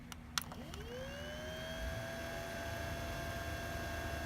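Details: Original Xbox (1.0) cooling fan after oiling its loud fan with olive oil: spins up from rest into a smooth, steady mid-pitched whir with no rattle or scrape; bearing sounds healthy and quiet.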